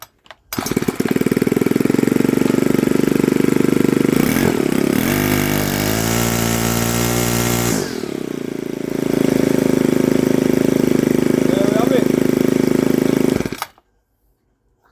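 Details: Ryobi RLT430CESB (Power LT4) 30cc 4-stroke petrol strimmer, which would not fire after refuelling, after repair of a carburetor issue: engine catches after a brief crank, blips up, then settles into a smooth, steady idle before shutting off; runs normally.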